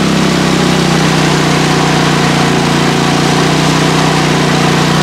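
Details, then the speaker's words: PowerSmart MB5040B 4400 W generator pushed to about 30 A with heaters and a blower: a steady, heavy drone held at constant speed under full load. The overload light comes on; it is overloaded. "the overload light is on so I'm not going to stress it now I know the overload light works"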